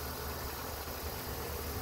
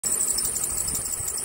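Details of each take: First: After replacing the faulty serpentine belt tensioner, the petrol engine idles with a steady low hum and no belt squeal or chirp. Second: Squeaky Belt Fix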